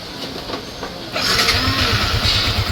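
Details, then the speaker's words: Yamaha Sniper 155 just after replacing the water pump seal, impeller bearing and impeller: the engine fires and settles into a steady, even idle with no whistle from the pump side; any remaining whistle is from the airbox. "Alright, so marinig yung may sumisipol man ngayon, sa airbox na lang yan. So yun dito, wala na."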